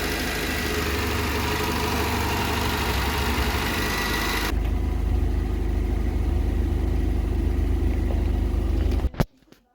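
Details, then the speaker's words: Barn-find Vauxhall Viva, started with fuel poured down the neck: steady even idle with smooth low thrum, no misses or hunting; healthy, well settled. "I've already poured a bit of fuel down our neck to get her going. That is sounding pretty sweet, that like."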